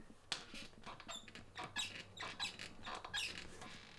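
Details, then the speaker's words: Borrowed replacement bike saddle (possibly an Adamo Attack) squeaking while ridden on an easy spin: repeated short high squeaks, roughly one every half to three-quarters of a second under load; saddle squeak. "that's a really annoying noise and trust me when you're on the saddle it still keeps making that noise"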